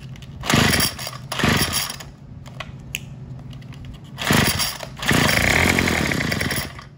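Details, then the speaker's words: Craftsman WS210 string trimmer on a new carburetor fitted with the old primer bulb and diaphragm parts: small engine buzzes up in short bursts then falls back, never reaching full throttle; cause unknown. "and we've got the weed eater running except it won't throttle all the way up so I'm not sure what's going on with that"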